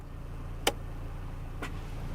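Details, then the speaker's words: 2020 Toyota Hilux Conquest automatic, idling in neutral on pavement, shifting H2 to H4: sharp clunk then softer knock; indicator blinks until engaged after driving a little; normal transfer case engagement. "i heard a clunk sound and that's blinking we're gonna wait a little bit okay so it's it's blinking that means it's not engaged"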